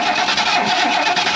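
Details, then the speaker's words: 1977 Mercury Grand Marquis, parked 10+ years, cranks steadily with an uneven chug and never fires; the coil-wire check shows no spark, so the next step is cleaning the points. "all right so we don't have spark there's our first problem so I'm gonna pop the cap off let's clean the points real quick and then see if we can get sparked that way"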